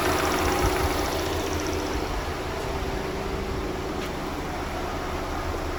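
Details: Audi/VW 2.0 TFSI with an oil pressure fault on the scan tool: a light irregular knock/rattle at idle that fades as revs rise. Loose internal engine components are suspected, not confirmed, and a tear-down is planned.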